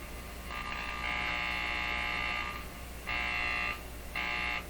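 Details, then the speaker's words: Buzzing from LED lights, raised above the 40 mark into excess voltage, heard over radio hiss on a Canadian Philips 922 tube radio during paper capacitor replacement; harsh buzz in three bursts, long then two short; lights turned back down, removing the sound. "Something's not happy with those lights, so I'm going to put it back down here."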